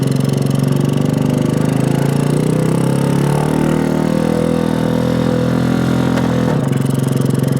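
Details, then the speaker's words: 1965 Honda C100 Cub 50cc single, neglected for decades, kick-started and idling after revival, still needing tuning and cleaning: busy, uneven beat that wanders and briefly stumbles near the end; rough running, cause not confirmed. "still running I don't know when the last time this thing ran was but if you need some work it needs some work but it's running"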